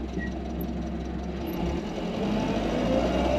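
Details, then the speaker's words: 1959 Hillman Husky sedan delivery with an overhauled engine, creeping in traffic in the extra-low first gear of its four-speed manual: steady, even low hum with a soft regular beat, no knocks or rattles; runs smoothly, with oil pressure 50 psi and water temperature 180. "And you can hear how smooth this car runs."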